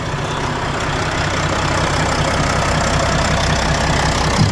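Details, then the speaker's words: Volvo FH4 diesel truck, about 100,000 km, that had an engine knock, after repair: steady, even idle with smooth low rumble, no knocking or ticking; the noise is gone. "Всё работает чётко, как и запланировано. Сейчас ещё поедем потестим. Ну, выгоним её на улице погоняем. Но звук этот не проявлялся больше. Всё, он ушёл."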